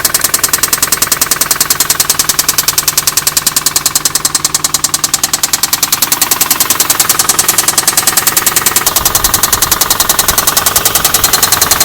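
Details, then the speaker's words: Infiniti G35 VQ V6 revved a little higher: fast, steady knocking about three or four raps a second, the sign that the oil level has been allowed to get low. "you're and when you rev it a little higher and if you hear that knocking noise that means someone has let the oil level get low on your vq"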